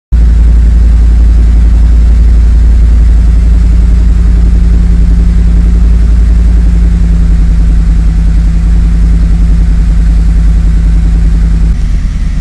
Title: Rough Idle for TGO